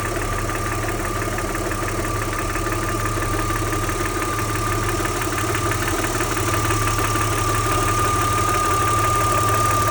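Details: Audi 80 V6 2.6: steady idle with a light, regular tick about three or four per second over the hum; a clatter or knock (Klackern/Nageln) of unknown origin.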